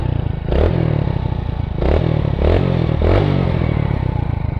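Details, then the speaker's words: Single-cylinder motorcycle (Splendor) after clutch housing replacement: steady clean idle putter with a few throttle blips, no knocking; engine should be near-silent, only exhaust heard. "तो देखिए इन दिनों के अंदर से सिर्फ बिल्कुल silent आवाज आनी चाहिए"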